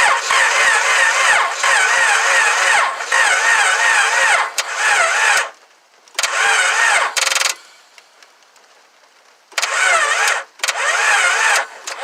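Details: 2000 Honda Accord no-start: several bursts of fast, even cranking, about four turns a second, with pauses and no catch. Owner suspects timing and hopes the engine is not blown; cause unconfirmed.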